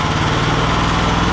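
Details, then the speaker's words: Small single-cylinder engine on a home-built machine, while centring pulleys for a poly-V belt: runs at a steady, even speed with no misses or knocks, smooth and healthy, owner likes how it sings. "очень нравится как мотор работает поет"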